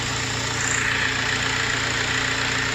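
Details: Engine idling with a steady high whine that does not pulse with firing; cause traced to the alternator, which was repaired.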